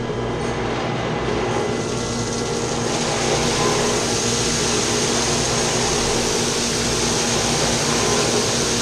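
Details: Chiller's chilled-water pump shaking badly, with its copper lines shaking too. Loud rushing roar with a rough rattle, steady throughout. The cause is a strainer that needs cleaning out, and there is also a leak. The fix is to shut down the chiller and pump and clean the strainer.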